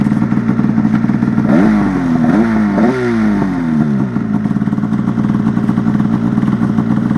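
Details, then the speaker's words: Polaris RMK Turbo snowmobile on a snow test run before a trip: revs climb in uneven surges with a rough, clattery edge; it sounds wrong, cause not yet pinned down. "That doesn't sound good at all. Oh boy."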